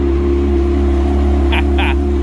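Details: Donor Yamaha Apex four-stroke with 21,573 km, started before its motor is swapped into an identical machine: steady, even low drone with a smooth, unbroken firing rhythm and no knocks or misses; normal running.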